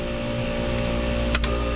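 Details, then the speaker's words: Paragon 8000 Series mechanical defrost timer on a split-system refrigerator with a water-cooled condensing unit, manually advanced into defrost: a loud single click over the running hum as the compressor stops and the 35-minute defrost begins; the timer works normally. "pay attention listen for the loud loud click right there compressor stopped"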